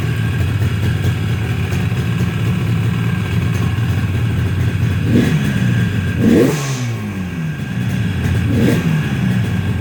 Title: yamaha rd 350 1st start after rebuild.